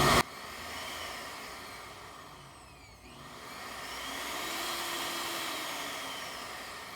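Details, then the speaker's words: Vitamix 7500 blender that wouldn't turn on (possibly dropped): motor whine sags and nearly cuts out, then returns to full speed when the control board is twisted or the speed dial pressed. "bending the board a little bit just a little twist and just put a little pressure on it here causes the motor to come back on so"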